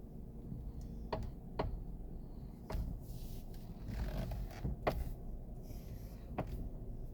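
Sharp, irregular knocks from the steering column as the wheel turns, caused by a dry spiral gear inside.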